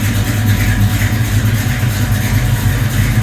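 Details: 1972 Buick Skylark convertible, custom high-performance Buick 455 (TA Performance internals, SP1 intake, under 7000 km), 700R4 overdrive automatic: deep heavy thump about three times a second, loping over a steady rumble; healthy cammed V8 idle.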